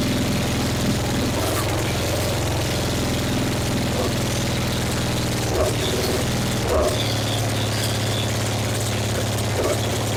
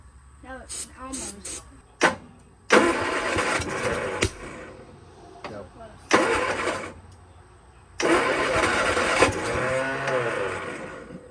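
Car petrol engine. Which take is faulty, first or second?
second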